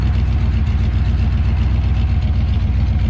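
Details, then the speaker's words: 1970 Chevelle SS 396 big block on its first heat cycle in perhaps 40 years, warming up with little smoke left: deep, steady idle pulsing about four per second, no knocks; normal idle. "it's been settling in pretty well there's not much smoke out anymore out the back here"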